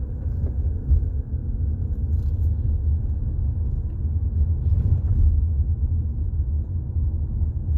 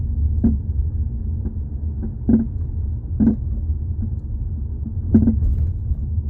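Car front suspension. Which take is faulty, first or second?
second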